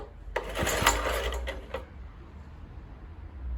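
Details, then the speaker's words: Kohler K101 engine on an Atco mower with a cleaned Walbro carburettor, fuel dripped onto the head, choke off: a brief burst of quick, uneven popping for about 1.5 seconds, then it fades; the engine fires but doesn't keep running. "Choke off. It's firing."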